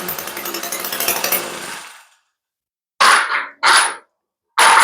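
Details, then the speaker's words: Echo stick edger, small two-stroke with a rotating slide carburetor, long stored with a messy fuel system, running after carb work: buzzes and picks up cleanly, then sharp crisp throttle blips, revving freely. Normal running. "that motor sounds really good"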